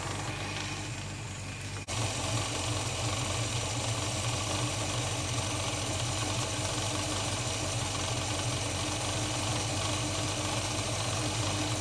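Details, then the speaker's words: Holden HK engine with timing recently adjusted and methylated spirits added to the fuel tank; rough cold idle, uneven lumpy running with light irregular knocking under a steady drone; owner suspects running lean with mixture/idle screws too far out. "idle screws seem to come a long way out hey that's what he's running now too lean off just got my mixing screws too far out"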